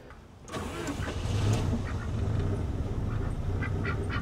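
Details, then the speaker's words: 1988 Saab 900 Turbo with a hard-start issue, battery fully charged and wiring reconnected; warm engine cranks briefly, catches quickly and settles to steady even idle with turbo audible; easier warm start. "well I would say that was an easier start I mean the the engine is warm"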